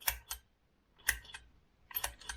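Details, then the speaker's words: Land Rover Discovery 3 TDV6 diesel, 270,000 km, during turbocharger rebuild with aftermarket cartridge: three short whirring clicks about a second apart in a quiet bay after engine shutdown, the turbo actuator's normal self-test cycle; hearing it means everything is good. "and that's the test cycle of your turbocharger actuator so if you hear that noise everything is good"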